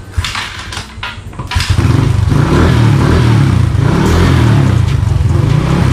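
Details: Motorcycle after cleaning the dirty brake-lever switches that stop the starter working: starter catches, the engine fires and revs up cleanly, then settles into a steady, even run with no misfire. Normal start and revving.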